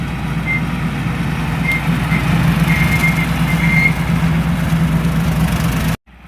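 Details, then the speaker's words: Kioti DK5310SE HST tractor mowing with a Titan 1306 brush hog: short, shrill, irregular squeaks over the low diesel drone. A dry rear cutter wheel needing grease is suspected, not the universal joint. "why sounds like we need to get out that lube shuttle and do some greasing on that rear wheel i can see it's i can hear it squeaking as he's driving down"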